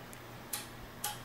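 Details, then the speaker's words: Insignia NS-PDP50HD-09 plasma TV after repair of 4-blink error in LJ44-00145B power supply: at switch-on two sharp relay clicks about half a second apart, then quiet; LED turns blue and picture appears, a normal power-up. "Hear the clicking, plasmas as you do that. Now the light is blue, and there we go, folks."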